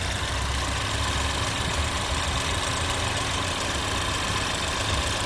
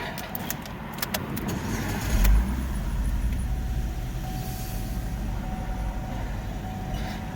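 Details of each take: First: 2011 Chevrolet Equinox idling after a throttle body cleaning: even, steady, smooth low hum with no misses, stumbles or knocks; it now runs a lot smoother and shows no check engine light. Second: 2011 Chevrolet Equinox, first start after throttle body cleaning with carburetor cleaner: a few clicks, then engine catches and runs a bit rough and uneven at first as cleaner residue burns off; expected.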